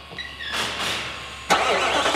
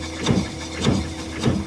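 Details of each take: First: 2018 Nissan NV 3500 van, about 60,000 miles, neglected oil changes and sludged engine: after cranking it catches and a sharp regular knock of about three a second rides over the idle, sounds like a rod about ready to go. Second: 2018 Nissan NV 3500 van engine cranking during a compression test: three strong, evenly spaced forceful puffs, far more force than a 75 psi cylinder, healthy compression; direct-injected motor, dry a while, prone to intake valve deposits.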